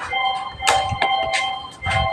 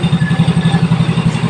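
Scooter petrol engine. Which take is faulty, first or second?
first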